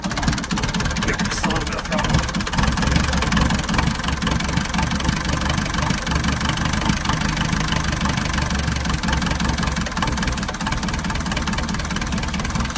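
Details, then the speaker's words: Perkins 4.108 diesel, cold start after sitting almost a week, using flame glow plug fuel igniter: fires up and settles into an even, steady idle clatter with no misses or knocks; normal cold start and idle. "that's the cold start of the Perkins 4108"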